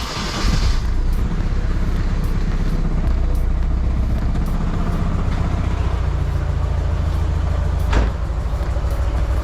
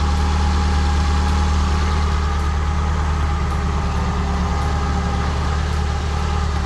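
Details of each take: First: Nissan 240SX KA24DE just after timing chain guide removal and tensioner cleaning, possibly cold: lumpy, uneven idle with stumbling beat and shaking low thump; owner wonders if spark plug wires are on wrong. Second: Nissan 240SX KA24DE warmed up after timing chain guide and tensioner service: steady, even idle with smooth low hum and no ticking or rattle from the front; timing chain tick gone, repair successful.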